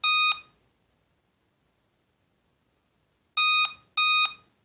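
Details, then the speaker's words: Laptop at power-on gives clear high-pitched POST beeps, a single beep then a quick pair after a pause, and will not boot; on-screen message says memory was detected on previous boot, pointing to a faulty RAM module; battery then removed to troubleshoot. "if I turn on my laptop and it is beeping like this so how to troubleshoot this issue you can see it is beeping and it is beeping two time memory was detected on previous boot"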